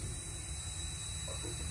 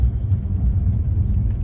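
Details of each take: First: 2015 Bentley Continental Flying Spur with failed air suspension, compressor pumping: thin steady hiss over low compressor drone, air heard escaping from the top of the strut; owner pretty sure the strut is leaking, later replaced. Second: 2015 Bentley Flying Spur, 11,000 miles, first drive after strut replacement on rough Peoria, Illinois road, 38°F: low even road rumble over bumps, no clunks or knocks; quiet suspension.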